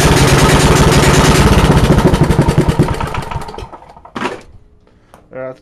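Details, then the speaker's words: Small single-cylinder engine on a cold start with an open exhaust and no muffler, throttle held by hand. A very loud, sharp popping bark, somewhat smoky, then it winds down and stops. "enough like you just hear it's really really loud this has an open exhaust right now"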